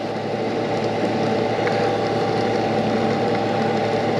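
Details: Cheap CNC knee mill (bought for $500) spindle running: even, steady hum with no knocks, grinding or pitch wobble; spindle sounds smooth and healthy.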